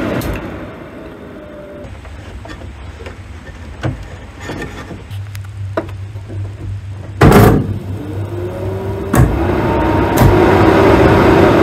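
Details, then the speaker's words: Triumph TR7 after building a new wiring loom: steady low electric motor whir after a clunk, running evenly and stopping cleanly, once wires that had been connected backwards (blowing a fuse) were rewired; contacts still reversed. Normal electric motor operation. "with it rewired properly this time let's give it another go what is this Third Time Lucky fourth I lose count now that sounds more like it"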